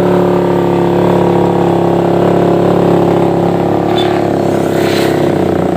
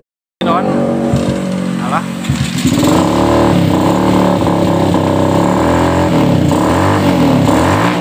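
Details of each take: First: Suzuki Satria FU 150 single-cylinder after porting and replacing the uneven valve shims. Smooth, clean rev with a steady pitch that eases back down, no knocks or rattles; the engine runs healthy. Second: Suzuki Satria FU 150, before porting and valve rework, slow to gain rpm. Repeated blips where the pitch climbs lazily and never screams at the top; valve shims were later found uneven in thickness and all replaced.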